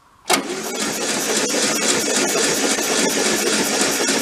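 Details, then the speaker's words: VW Beetle convertible parked since 1995: starter cranks steadily in a rough, even rhythm but the engine never catches. Spark test at the coil wire shows no spark; the ignition points are fuzzy and need cleaning. "A 20% chance of nothing. Alright, so we gotta go clean the points, I think."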